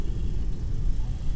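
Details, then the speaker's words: Gen 2 Toyota Prius brake bleeding without a scan tool: after the bleeder valve is opened, the ABS pump runs to maintain pressure, a deep, steady low whir with no tone changes or knocking, normal operation. "as soon as I open this bleeder valve I hear it pumping it is trying to maintain pressure okay so now it's pumping"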